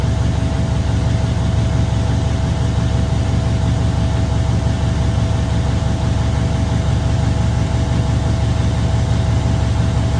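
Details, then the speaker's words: Truck diesel after an in-frame overhaul and injector replacement; a steady, even low idle rumble with a faint constant hum and no misses or knocks, oil, fuel and air pressure and alternator all good. "Running, oil pressure's good. Alternator's working. Fuel's good. Air pressure's good."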